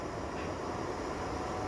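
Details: Wi-Fi air purifier (VeSync app, no ionizer) running at its highest fan speed, three: a steady, strong rush of air with no rattle, tick or pulsing. Normal fan noise.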